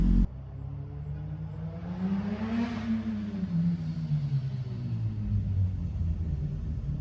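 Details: GSX-R 1000 motorcycle, catless header with exhaust leak patched using JB Weld and a clamp, briefly warmed: one smooth rev rises and falls back to idle with a clean deep exhaust note, no puffing or ticking; normal exhaust note after repair.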